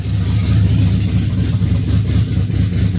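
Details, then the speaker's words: 1956 Chevy with twin-turbo LS and Holley Terminator X, first start: deep steady V8 idle with a slightly soft loping beat, no knocks; timing sounds a little lazy, idling at about 15 degrees, needs tuning. "sounds all right sounds like the timing is a little lazy but it's Idols at like 15 degrees"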